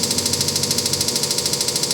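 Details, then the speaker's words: Samsung WD106 washer-dryer spin with all-new parts fitted: fast even rattling knock, about thirteen a second, starting near 100 RPM and growing louder; drum seems to hit something inside, cause still unknown. "Então, o barulho é esse aí. Parece que o tambor bate em alguma coisa lá dentro."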